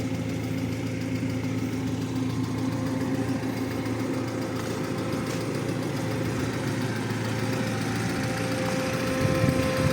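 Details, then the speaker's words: Audi 80 B4 2.0 petrol, warm idle with radiator fan cycling, no smoke or misfire; quick light tapping about four per second over the engine hum; owner says it is clearly the hydraulic lifters, earlier it clattered like a diesel. "Ну, слышно вот сучок, но это уже конкретно гидри. А до этого тарабанил, а так, как будто дизель работал."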